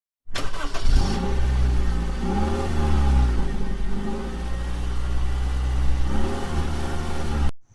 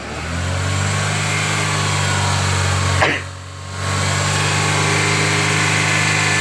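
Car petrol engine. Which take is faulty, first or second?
first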